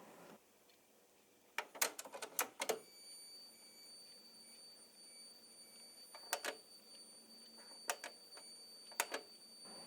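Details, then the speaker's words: Philips DCC 600 playing a recorded Philips 90-minute tape: irregular bursts of sharp clicks over near silence with no audio; owner suspects the cassette, not the machine, and that it isn't running at correct speed. "There is a Philips 90 minutes recorded tape that makes this noise when playing."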